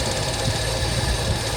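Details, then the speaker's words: 1977 Mercury Cougar XR-7 V8 after driveway runs: started out running great, now a shaky, uneven low idle that gets much worse in gear and is fine with RPM up; owner suspects carburetor or fuel, has a leaking fuel line and may swap the filter. "it started out running really great and now it's got back to this kind of shaky low idle thing you put it down in gear one way or the other and it gets a lot worse but if you keep the RPMs up it's fine"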